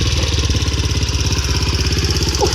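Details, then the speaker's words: 2007 Honda CRF70F pit bike with 88cc big bore kit, Uni air filter, clutch kit and FMF Powercore 4 exhaust: crisp, even single-cylinder thump at a steady fast idle with a raspy exhaust bark; normal, healthy idle. "It's purty. Definitely a nice sound out of that FMF Powercore 4. It's a great bike for what it is."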